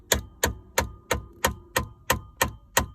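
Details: 2011 Ford F-150 dash console: sharp, even tapping about three times a second at start-up from the blend door actuator; cheap gear teeth inside the servo are badly broken; HVAC stuck on defrost or switching hot/cold; fix is replacing the actuator.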